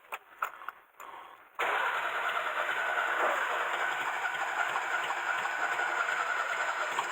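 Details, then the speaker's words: Mercedes W115 not started in 3 years, run out of fuel before storage, fuel gauge reading wrong: long steady cranking that nearly fires but never settles into idle; hard starting after long storage. "come on baby come on she's trying oh we're close"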